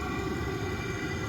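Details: Vevor 5 kW 12 V diesel heater, tank-mounted on a trailer and without a muffler: steady, even low exhaust rumble with a constant hum above it, no surging or popping. Normal running.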